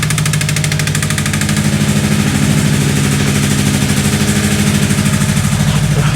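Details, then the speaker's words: Subaru WRX with a knock, blipped to about 1500–2000 rpm: heavy rhythmic knocking about three per second that rises and falls with revs, seems to come from the passenger side and randomly drops out for a split second; deep engine knock. "man that sounds horrible [Music] it does sound like the passenger side"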